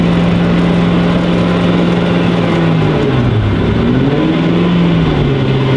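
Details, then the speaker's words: BMW M5 imported from Qatar, while driving: low, wavering drone rising and falling with wheel speed from the rear; judged to be the drive shaft and badly out-of-round tires rather than the differential, not confirmed. "ja aber das kommt nicht von Differential das kommt eher von der Antriebswelle und die Reifen die Eiern total ja die haben so richtig extrem Höhenschlag"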